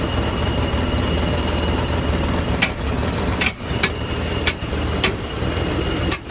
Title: Е39 стук на холодную